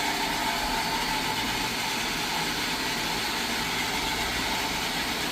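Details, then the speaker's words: Water pump in a JetMatic system after repair, including a new seal to stop a leak: steady, even hum with no knocking, grinding or squeal; the pump now runs smooth and quiet. "Okay na siya no? Pino na umandar. Tahimik siya ngayon."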